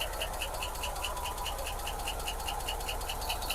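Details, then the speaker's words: 1986 Ford F150 sat for years, first running after repeated start attempts: quick, steady light ticking over a low even idle, a clank in the valve train; oil pressure being checked. "Man, yes, man, this motor runs good. Got a little clank to it in the valve train, but let me see if we got oil pressure."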